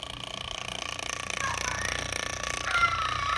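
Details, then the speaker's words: 1915 General Electric fan motor started through a choke coil and switch: hum with a loose, purring rattle, about three knocks a second, from worn sleeve bearings; to be disassembled and fitted with new machined bearings. "it's got bad bearings in it so i'm going to disassemble this thing and machine new bearings for it and see if we can't quieten it down just a little bit make it run a little bit better"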